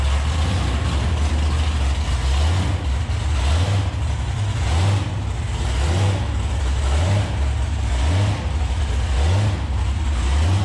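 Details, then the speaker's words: 2014 COPO Camaro with factory supercharger, bypass valve blocked, during baseline run: deep note climbs in repeated steps about once a second instead of pulling smoothly; new blower surge under load, cause uncertain. "It's never used to blower surge like that. I don't know what the heck's going on. It sounds like one of those burnout cars from Australia."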